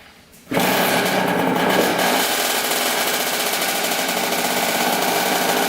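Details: 2000 Kawasaki KX65 two-stroke, first start after full engine rebuild, gas poured in carburetor, on choke: catches and settles into a fast crisp ringing buzz with steady even beat; runs cleanly.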